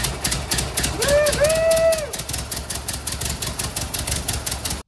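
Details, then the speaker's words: 1958 Ford 821 tractor four-cylinder engine first run after complete rebuild, on a temporary gas tank with new oil and coolant; slow, somewhat uneven chugging about four beats a second that never settles, still needing tuning: rough running after rebuild. "got some more tuning to do but we definitely got it running"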